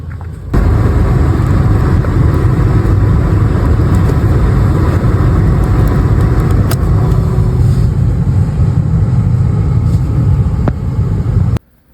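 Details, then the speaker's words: 1999 Mitsubishi Montero Sport with a rough idle and hesitation, filter suspected clogged by rust from an old tank. Before fuel filter replacement, the fuel pump relay behind the passenger floor panel is pulled at idle; the engine runs about ten seconds, then starves and stalls. "just start the engine up and then disconnect that fuel pump relay and the engine should be starved of fuel and turn"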